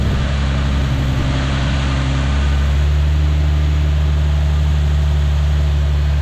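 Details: Nissan 370Z after replacing auxiliary belt, tensioners and pulleys: smooth steady idle hum settling slightly lower after a few seconds, no belt squeal or chirp; runs clean.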